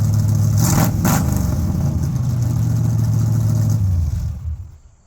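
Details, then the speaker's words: First start after an overdue tune-up replacing worn parts: engine revs up cleanly and holds a fairly even idle before shutting off, no obvious miss; runs smoothly. "And I'm really excited for it because that stuff was really clapped out and I think it's going to run really nice and smooth. So, let's hear this thing how it actually runs."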